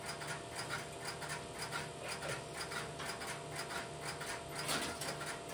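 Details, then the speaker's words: Idle step-by-step (Strowger) telephone switch with no calls placed, camera moved to the next aisle: soft steady interrupter-relay ticking about once a second over a faint hum, at reduced level; normal idle. "I've relocated the camera to the next aisle over, which you will hear the interrupter relays in the background, but they will be at a reduced level."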